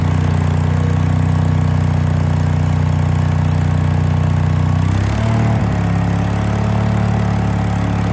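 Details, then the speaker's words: Case 1816C skid steer sat 10+ years, first run: steady low engine drone, then a brief dip and rough tone change as drive is engaged; it tried to move but sounded starved, owner suspects hydraulic oil drained out. "it didn't move I mean it tried to move but it sounded like it was starving um so I'm wondering if all of the oil hasn't drained out of um all the hydraulic oil drained out"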